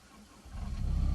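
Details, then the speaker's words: ASV 2800 track truck, 75 HP Isuzu diesel, 5,600 miles, 900 hours: starts instantly on the key and settles into a steady, deep, even diesel throb with no knocks or misses; healthy idle. "now it's running, if you can hear that. It's got low miles, 5,600 miles, and only 900 hours on a 75 horsepower Isuzu Diesel."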